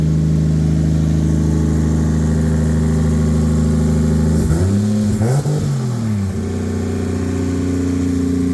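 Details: Normal idle and revving: an 800hp 2JZ turbo Lexus IS300, wrecked in a front-end collision and sitting unused, started on a replacement battery with no coolant and was run only briefly. Smooth steady idle, one clean rev back to an even idle, no knocks or misses; healthy.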